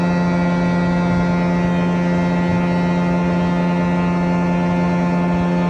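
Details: Industrial blower (OATKA Blower 3): loud, steady low buzz with a harsh tonal edge that grows louder then goes away.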